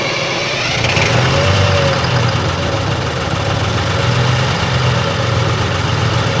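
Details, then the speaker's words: AVGP Husky armoured vehicle diesel, sat outside 10–15 years, first start attempt: steady starter churn about three compressions a second, never fires on its own fuel though it runs on ether; fuel delivery suspected, electric pump jumpered, unresolved. "we were hoping to be able to fire it up on its own and that didn't take place the engine is certainly capable of running on ether but we were not able to get it to fire on its own fuel"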